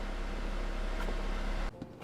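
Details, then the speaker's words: 2007 Mazda 3, driver's window: motor drones steadily under load then cuts out; window won't roll back up because the window regulator gear is shredded and not engaging; regulator being replaced. "try to uh put the window up makes that noise i'm not sure if it's the motor or at the actual window regulator that's broken"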